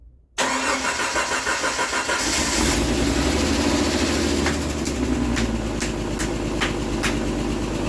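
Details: Jeep Wrangler YJ first start after sitting 4 years, fuel pump wiring fixed, fresh oil, no coolant yet, distributor suspected bad: quick cranking about two seconds, then catches and settles into a steady, even idle; clean start.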